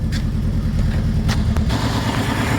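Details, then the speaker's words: 2009 Saturn Aura 2.4 Ecotec that cranked but wouldn't start, now running: rough uneven idle with stumbling thump, a misfire because one fuel injector was left unplugged. "as you can hear, she is running. Sounds like it's definitely got a misfire."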